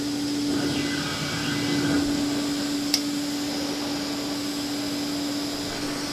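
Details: Old Hoover vacuum with a gasketed wand, owned since about 2007–2008; the motor was never or barely lubricated, with nothing done in over a decade. A quiet, steady hum with rushing air and no rattle or grinding; normal smooth running.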